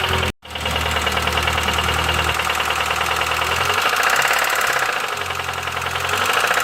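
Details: Petrol engine at steady idle: sharp metallic tick-clatter about three per second riding over it, even throughout; engine knocking, source not pinned down.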